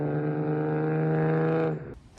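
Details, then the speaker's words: Holden VT Commodore after its misfire was found and fixed: deep, extremely loud exhaust drone with even, steady firing and no stumble; the engine runs clean, just very loud. "and this thing is [Music] loud Extremely Loud and [Music]"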